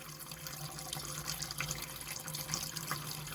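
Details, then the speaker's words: Caravan water system after winter storage, with the pump running and the cold tap being purged: a steady, even hiss of water with no spitting or air bursts. Last year's water and air are pushed out and the flow is now normal. "all right that one all seems to be good let's do the bathroom tap and purge that one"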